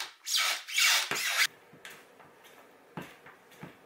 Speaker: So the reason your trucks are making this noise is because the hanger of your trucks is rubbing up against the pivot cup, causing it to squeak.